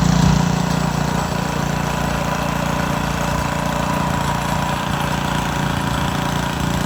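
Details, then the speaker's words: Montgomery Ward rototiller's single-cylinder engine chugging unevenly with a wandering beat. Owner suspects water in the gas (fuel looks milky) or a carburetor fault; rough running. "What's that? I think it's got water in the gas. That's what I think it is."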